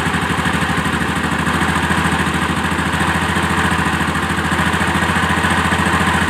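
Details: Honda Activa scooter, carburetor air screw tuned: even steady putter with a regular beat and no hunting or misfires; idles smoothly.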